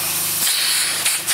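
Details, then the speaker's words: Shop compressed-air system with the air compressor running: loud steady high-pitched hiss with no rhythm over the compressor; air escaping hard from leaking air-line fittings. "compressor going on so you can hear all the leaks it's mostly coming from here so this one leaks a bit oh this one leaks a lot holy cow"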